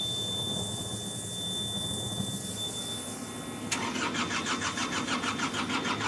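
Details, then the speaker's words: Hitachi EX55UR excavator diesel, sat for a year with broken boom: starter spins in a steady even rhythm for several seconds but never catches; feels close to firing. "it don't sound any different she wants to mhm I can feel she wants to"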